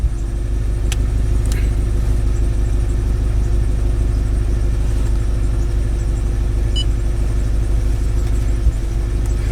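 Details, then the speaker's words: Scion FR-S running rough: low steady idle with a faint uneven stumble and no clean rhythm. Codes P0302 and P219A point to a cylinder 2 misfire. "okay so there we go we got two codes can you see that po3o2 and p219 a"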